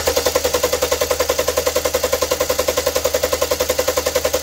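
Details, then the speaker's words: 2011 Kia Sportage 2.4 4x4 that starts then dies and shakes: crisp regular spark snapping about three and a half per second while cranking, no missed beats; spark stays constant. Low fuel possibly suspected. "Ah está bien Se mira que no se cancela La chispa prácticamente está constante"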